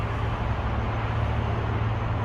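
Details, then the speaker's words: Air brake check at the rear, both sides: low steady engine hum with no hiss of escaping air; no air leak heard, brake system holding air fine. "wala, magkabila, walang sounds. Wala tayong naririnig na air leak."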